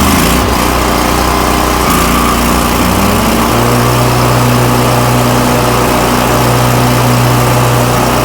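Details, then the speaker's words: Toro Titan MX5400 with Kohler Confidant 23 hp V-twin after ignition coil replacement, blades engaged at full throttle: strong, even drone holding steady pitch, good blade speed, no bogging or rough running; fixed. "Back to full power. This thing is running great. The blade speed's good. No more bogging."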